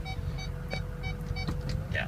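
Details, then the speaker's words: 2006 Ford F250 King Ranch 4x4 diesel backing up in reverse in 4-low: short high parking-sensor beeps repeat about every third of a second over the diesel idle, showing the parking sensors work. "Yeah. So the parking sensors work."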